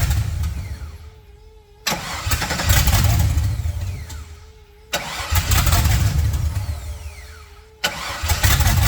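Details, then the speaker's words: "Fatsun" custom build with open header, start before driving: loud open-exhaust idle that surges and drops every few seconds; owner says idle doesn't sound great though running, worried about noise heard when engine seized months ago; cause unidentified. "it's pretty quiet given it's an open header the idle doesn't sound great I mean it's idling fine now we're worried we heard it when we seized it up a few months ago"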